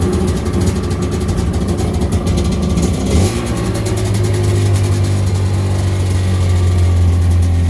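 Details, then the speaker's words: 1996 Sea-Doo GTI rebuilt two-stroke engine out of water during idle-screw adjustment. The buzzy idle steps up and holds at about 2500 rpm, still short of the roughly 3000 rpm target out of water (about 1500 rpm in water). "we're about 2500 now we'll have to monkey with this a few times a few times"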